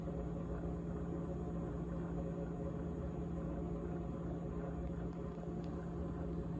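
Even compressor hum with a steady low tone and a coarse, buzzing rattle layered on top throughout; refrigerator rattle, source not identified.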